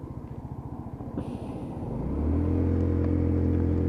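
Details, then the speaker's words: Lexmoto Titan at 4,166 on the clock on test ride after fuel-system repair for cutting out at idle: coasts in, then settles to steady single-cylinder idle around 1500–1700 rpm with no hunting or stalling; healthy idle. "and it's still exactly the same as it was last time idling lovely sitting around 1500 1700 rpms"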